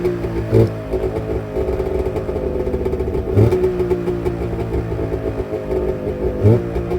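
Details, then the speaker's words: Carbureted two-stroke engine started on full choke at 7°F: rough uneven burble with a stumble about every three seconds while cold; slightly flooded carburetor on cold start, warming up. "Let it warm up a little bit. As you can see, it's carb bread. A little gold flooded. It'll warm up."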